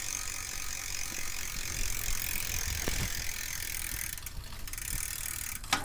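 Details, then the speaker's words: Team Fuji bicycle, rear drivetrain after cleaning the rear derailleur and re-tensioning the cable, which seems to have fixed a loud cricket-like squeak: even, light freewheel ticking and a smooth chain run, with no squeak or chirp. "all right so I think we solved that by cleaning the rear derailleur"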